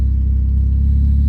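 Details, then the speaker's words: PT Cruiser with wrapped exhaust manifold and open downpipe, warming up after tune-up; loud deep even exhaust drone with a steady pulse and no belt squeak, voltage good, running normally. "voltage good no belt squeak"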